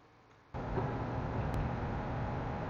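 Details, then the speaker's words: Car that had a P0300 random misfire code, after the fix and code clearing: smooth, even idle with a steady low rumble and no stumble or skip; no check engine light, normal idle. "as you can see no check engine lights car is running great idling smooth"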